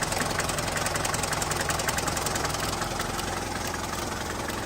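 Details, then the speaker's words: 1981 Mercedes diesel sedan, first start after sitting about 15 years: idle with a sharp, fairly regular tick about 160 times a minute over it; suspected nuts or loose metal hitting the fan, with some blow-by noted. "well I mean you might have nuts in your fan down here holy smokes"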